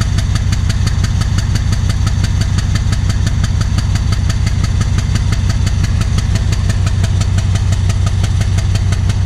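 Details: Alsthom diesel locomotive of Thai Railway idling with strange noise and black smoke: loud heavy idle with a hard rhythmic thump about three times a second; rough and knocky, cause not pinned down.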